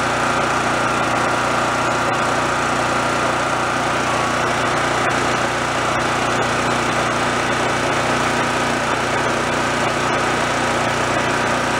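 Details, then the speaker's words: Roadside-found Chinese knockoff mid-size generator, warming up on the low side after repair, output switched off with no power yet, frequency to be checked and tweaked. Steady, even buzz with no misses or surging: normal running at low speed. "damnit there's no power the palette switches off right now so I'll let that warm up a little on the low side"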